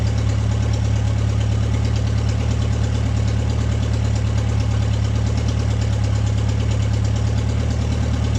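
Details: Deep, steady idle with an even rumble and no hunting from an MG pulled from the woods, at its first start in 22 years; it settles and holds idle fine without choke.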